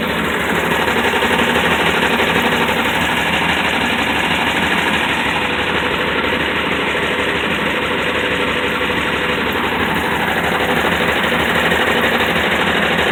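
Fast, fairly even knocking, roughly three per second, rides over a steady idle; the engine has a knock of unknown origin.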